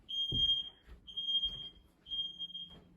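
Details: Home fire alarm system test, detector triggered with deodorant spray, checking it is heard downstairs in each room: three piercing high beeps about a second apart, half a second each, clean and even; alarm sounding properly.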